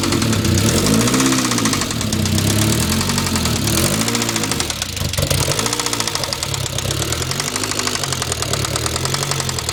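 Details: 1997 Saab 9000 Aero petrol engine with a fast, light ticking from the top end over a loud, rough exhaust as revs rise and fall; ticking worsens later, cause unknown.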